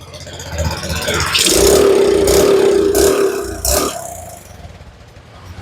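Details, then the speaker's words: Suzuki Smash motorcycle starts easily, but when throttled the revs climb, then sag and surge, stumbling about three times a second. This hesitation under throttle was traced to a weak CDI giving poor ignition. "Kita coba digas. Digas-gas. Tuh. Dia nyendat-nyendat ya teman-teman."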